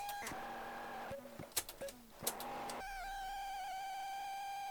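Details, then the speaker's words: Unknown ZX Spectrum tape loading on a +2 grey computer's built-in tape deck: signal starts broken and scratchy with dropouts, then settles to a steady high whistle tone; the load is failing. "I think this tape is oh God that is bad it doesn't feel it just bad loading it let's have another try oh sounds like somebody's scratching"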